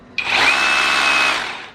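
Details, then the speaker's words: OSUKA OCRH852 cordless brushless rotary hammer in hammer-drill mode: high buzzing whir with a fast rattle on top, drilling while hammering for masonry; normal operation. "อ่าเห็นมยอันนี้เป็นโหมดเจาะกระแทนะครับก็องฟังเสียงดูอ่ามันจะมีเสียงตืดขึ้นมานะฮะก็คือทั้งเจาะทั้งกระแทกนะครับเอาไว้เจาะปูนทั่วๆไปได้"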